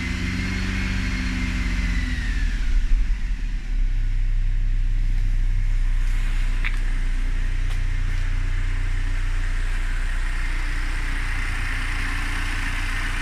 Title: Mercedes-Benz c250 strange engine noises